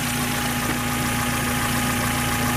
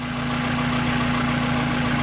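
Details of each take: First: Low-mile 1994 Mazda MX-5 Miata four-cylinder, long stored, idling smoothly with a steady even hum and no lifter tick; a slight bearing noise, suspected timing tensioner, is barely audible; normal idle. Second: 1994 Mazda MX-5 Miata, low-mile car that sat a long time: even idle with a faint steady whirring bearing noise that the owner suspects is the timing belt tensioner; water pump due for replacement, lifters sound good.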